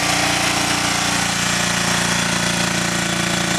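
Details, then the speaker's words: Engine on original modified carburetor running on wood gas from a gasifier, rebuilt part now holding its setting without jumping around; even, steady chugging at constant pace, no misses or surging, stable and running normally. "No issues. And since I rebuilt this guy here, it's not jumping around on me. It's staying where I set it."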